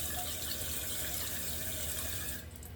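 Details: Glacier Bay dual flush toilet with a new Fluidmaster 400AH fill valve, refilling after level adjustment and refill-tube clip: a steady hiss, then a clean cutoff, with no leaks afterward. The valve shuts off properly.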